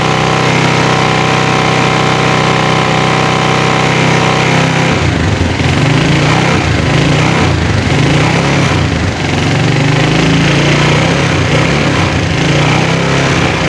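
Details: Motorcycle single on a 12 V battery test with inverter, kick lever removed, started by turning the wheel in 4th gear on the centre stand; rapid even putter holds steady with no misses, normal idle.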